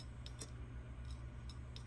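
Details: Seagate hard drive powered through a ZILKEE Ultra Recovery Converter to a Mac, mic held close; the Mac never detects the drive: a quiet low hum with sparse, irregular sharp ticks and no smooth settling. Clicking drive, cause not confirmed.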